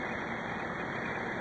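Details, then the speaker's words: Central air conditioner outdoor unit after replacing the failed capacitor that stopped the compressor; compressor and condenser fan both running, steady even whoosh with no rattles or buzzing, condensate flowing; normal operation. "You can hear the compressor and the fan. That's something you need to learn if you don't know the sound. There's 2 distinct sounds."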